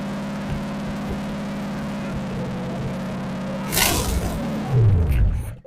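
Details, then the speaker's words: Salvage-yard Holden 308 V8 rebuilt with donor parts, first run, after fuel pump trouble: low steady burble at idle with even hum, no ticks or knocks, handling noise near end; normal idle. "So I can let it idle a little longer to hear how she is and adjust the timing."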